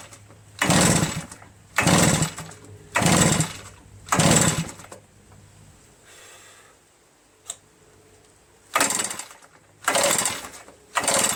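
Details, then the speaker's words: A reassembled RedMax EBZ8050 backpack leaf blower, on choke with the throttle at mid and starting fluid used, gets seven sharp recoil pulls. Each is a brief rasp that dies, with no sign of firing. Spark was then found. The owner suspects carbon-packed rings are causing low compression. "Not a sign of any starting. Gonna have to check for spark."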